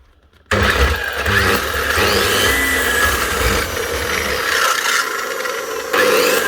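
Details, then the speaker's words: Makita GA9040S 2400W angle grinder with Laserchaser wall-chasing head, before repair: spins up to a rough, gritty whir with steady rattle; bearings gone in the gearbox head, full strip job. "He says it's got a bad rattle and he's stuck and needs it up and running now."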